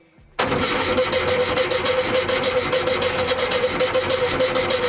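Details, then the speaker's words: 1975 VW Shorty bus wheelie machine, sat over 20 years, checking for spark: starter whines with even cranking pulses but engine never fires, one pop heard; poor ground suspected, cranks without starting. "heard a pop, but I didn't see any sparks. I mean, I heard a poof. Yeah, it sounded like it tried to crank."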